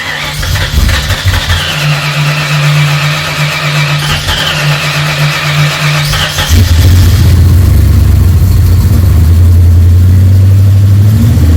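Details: Freshly rebuilt Ford 302 Cleveland V8, Holley Sniper injection, first run: catches and settles into steady, even fast idle, no lifter ticking or rattling; owner won't know until idle is dropped.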